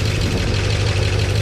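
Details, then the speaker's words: 1969 Chevy C10 engine at idle, just after timing adjustment for an oil pressure problem; gauge now reads 50 psi. Even, deep idle rumble, much quieter than before, no knocking or ticking; healthy. "We got oil pressure. Check it out. Oh, it's much quieter too."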